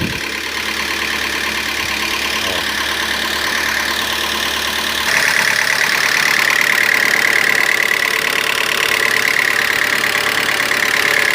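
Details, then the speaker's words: Citroën/Peugeot C4 2.0 16v petrol engine, warm after running a while, knocks steadily at idle (about four beats a second), louder when accelerated, no warning lights, for two–three days; engine oil level found far below. "porém o veículo fica batendo aqui eu vou ligar pra vocês verem olha o barulho como é que fica e já tem um tempo que tá ligado"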